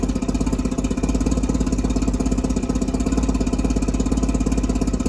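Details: Mercury 650 outboard on a boat, first start after purchase, unrun since being winterized in 2017, water on and jump-started from a truck: a steady, even run with a quick regular beat and no knocks or misses. Running normally after long storage.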